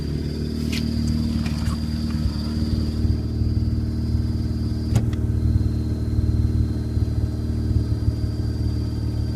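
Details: Car idling about 60 seconds after cold start following new Exedy stage one clutch, both bearings, flywheel and master cylinder: faint steady high chirp, louder after break-in, stopped briefly by a light clutch tap; owner suspects fork.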